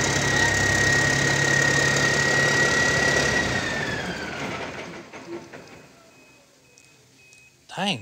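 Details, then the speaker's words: Old double-framed military truck diesel, believed to be a newer-style big cam: even, steady idle with a smooth regular beat and no knocks or misses before winding down; runs healthy. "that thing sounds good. Sounds really good, actually."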